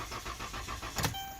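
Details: 2011–2013 Dodge Caravan family van, starter already replaced, jumped from a 2.4 V battery; engine spins over at normal even cranking rhythm but never catches; crank no start, failed TIPM fuel pump relay leaving pump unpowered.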